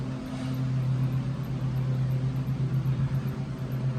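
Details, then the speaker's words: Alternator removed from a 2007-2013 GM Yukon/Suburban/Tahoe/Escalade/Sierra/Silverado, a previously replaced Duralast Gold unit, pulley spun by hand: a low growl with a rough pulse about four times a second, a worn, failing bearing. "So that is definitely the sound of a bearing failing."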